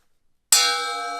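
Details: CMT thin-kerf ripping blade on a table saw, struck once: bright, clear ring that fades slowly and evenly with no dull buzz. This is a normal, sound blade.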